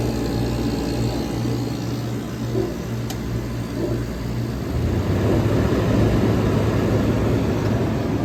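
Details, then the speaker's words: 1965 Weather Wheel vintage window air conditioner with classic Tecumseh AJ compressor, back in service after annual inspection, running on a separate fan and already getting cold; steady low hum and even fan rush, no rattles or knocks; normal running. "1965 Weather Wheel is in operation. The annual inspection was completed and the Weather Wheel is back in service. Look at that, classic Tecumseh AJ compressor. Already getting cold."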